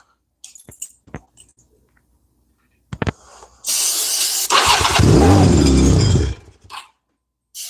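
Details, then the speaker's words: Honda Rebel 250 motorcycle with fuel delivery issues: fires on fuel-tap "on" but not reserve, full choke. A short hiss of starting fluid, then it fires and runs ragged about two seconds before dying. Not getting fuel on its own, cause unconfirmed. "I had it running on starting fluid. Let's give her a snort of the good stuff."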